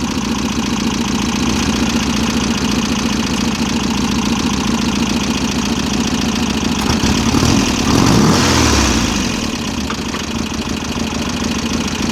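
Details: VW Type-3 Fastback air-cooled flat-four, just reinstalled after tightening loose cylinder heads, on a rough idle. A fast, light ticking stays steady with engine speed; the valve clearances are maladjusted and need readjusting.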